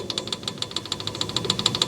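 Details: 1987 Honda 250X ATV engine, off at top dead center, rocker rocked by hand: sharp metallic click about seven times a second. Excessive valve lash, with a 0.004 gauge showing lots of play and 0.006 fitting on exhaust; out of spec, with louder-than-normal chatter.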